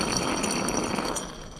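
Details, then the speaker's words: Riding mower deck spindle with owner-installed spindles, idler pulley turned by hand: a dry, gritty rasp with faint ringing where it should be silent. Worn spindle bearings going out, and all three spindles were bad. "a noise. So that means the bearings are going out in that."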